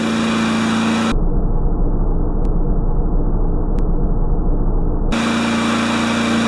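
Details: Craftsman mower's Kohler single-cylinder engine, throttle held by a tie wrap after repair work, holds a steady, even speed with a clean firing beat and no misses or knocks; normal running.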